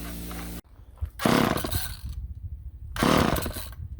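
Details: Old Ohlsson & Rice engine chainsaw sitting 20+ years: two rasping rope pulls about a second each, turning over but never catching; choked old engine failing to start.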